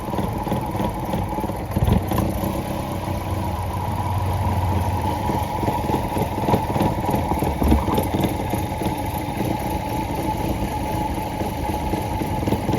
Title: Maruti Suzuki misfiring engine